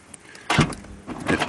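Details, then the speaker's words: 2008 Pontiac Montana/Chevrolet Uplander power sliding door operated by button: short motor whir bursts and latch clunks as it closes, pulls in hard and latches; power assist functioning correctly. Normal power sliding door operation. "you'll see that when you push the button to open and to push the button to close seems to close and then pulls in hard and then latches"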